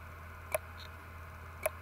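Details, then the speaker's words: WD 2TB external hard drive (WD20EARX), dropped three years earlier, LED blinking: sharp evenly spaced clicks about once a second over a low hum. Failed read/write heads, which had to be replaced to recover data. "When you plug this hard drive in, the LED is blinking, but it just makes a clicking or clunking sound."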